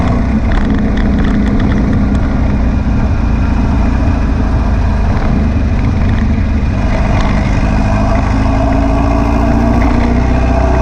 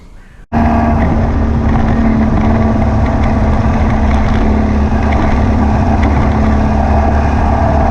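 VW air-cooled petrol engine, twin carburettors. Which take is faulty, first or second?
second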